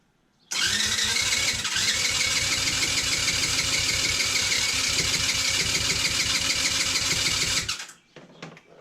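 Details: TaoTao 110cc, not starting: about seven seconds of quick, light, even cranking with no firing, spark confirmed; spins too freely, compression measured about 70 psi, almost none.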